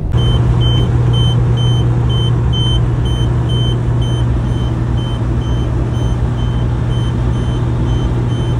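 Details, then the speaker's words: 1999 Kenworth W900L diesel truck, half a mile into a 400-mile drive home: steady rumble with a high ding repeating about three times a second; owner first suspected low air gauge buzzer, found to be low-voltage warning buzzer. "I think it's an air gauge because they've converted it from a single gauge over here to a dual gauge up here, and that sounds like a low arrow buzzer to me, but who the fuck knows."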